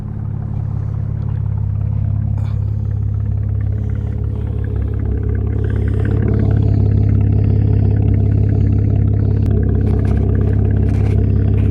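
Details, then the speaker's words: 2012 Camaro V6 under rebuild, after radiator fix, warmed to full temperature, no codes, check-engine light out; microphone at exhaust: deep, steady idle rumble with even pulse, no ticking, popping or misfire; normal healthy idle. "Get this microphone by it. Thing sounds good."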